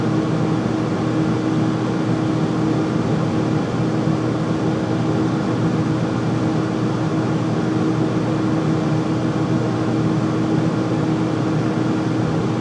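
Steady loud roar with a constant hum around a few hundred hertz and no knocking; this furnace runs noisier than it should, cause unclear.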